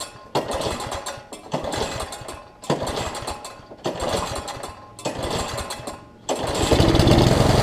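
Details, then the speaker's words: Lawn Boy self-propelled push mower after fitting a new carburetor, which replaced a leaky one with bad seals: single-cylinder fires steadily, surging in roughly one-second waves before settling louder; runs fine on the new carb. "all right so the killer is fixed on it carb runs good"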